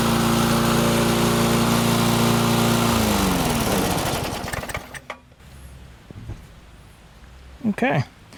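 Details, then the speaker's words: Restored barn-find Murray push mower, Briggs & Stratton single, cutting grass outside after priming and pull-start: runs steady and even under load, then winds down smoothly at shutoff. Normal running, though it seems to burn a little oil; owner suspects a possible valve adjustment. "Doesn't seem to be too bad. Does seem to want to burn a little bit of oil, though."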